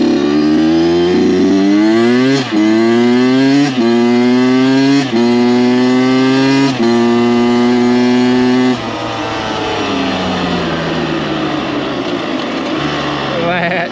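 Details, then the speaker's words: Freshly rebuilt Kawasaki KX 85 two-stroke dirt bike after break-in, ridden on the power band at full throttle: crisp scream climbs cleanly through five crisp gear changes, then eases off on decel; strong even pull, no rattles or misfires. "As you just saw, brought her up on the pipe, gave her full beans, and no weird vibrations, no weird sounds. The motor pulls really strong."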